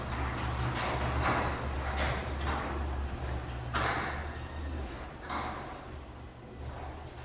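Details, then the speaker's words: Newly installed LiftMaster 8160W Wi-Fi DC-motor chain-drive opener, 8 ft rail, soft start and stop; low, steady motor hum and smooth chain run, no grinding or clunks, quiet and smooth, normal. "Wow, that is quiet and smooth."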